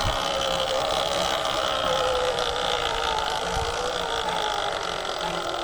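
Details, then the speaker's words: Nearly new Sur-Ron electric bike riding: thin, wavering squeal over riding noise and motor hum as the tight rear brake intermittently rubs the rotor. "Also that squeaking. You hear that? That is this back brakes. And the bike is still pretty new. So it is tight fit there."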